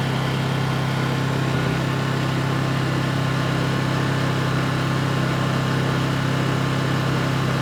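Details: Honda EU2200i inverter generator, brand new just unboxed, running at steady constant speed during a fuel-shutoff test: even mid-pitched drone with no misses or knocks, running normally.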